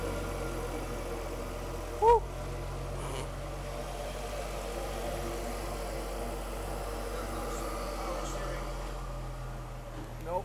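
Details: Ford Focus ST after complete engine rebuild, first start: quiet, even low hum holding steady with no knocks or misses; smooth normal idle, some smoke from oil spilled on the block.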